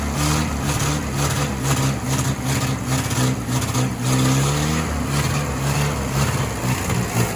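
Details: 1966 Jeep CJ5 farm-auction project started on the key for road prep, not warmed up yet: an even, deep engine rumble holding a steady beat with no knocks or misses; running smoothly.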